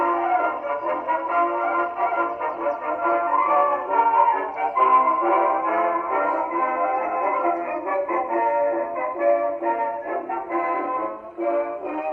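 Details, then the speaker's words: 1919 Victor Victrola VV-IV #437504 after overhaul (new governor assembly, main spring, spring drum, felt; rebuilt Exhibition reproducer): clean steady playback with narrow old-time tone, no speed wobble or scraping; playing normally. "That also played very well. Another keeper."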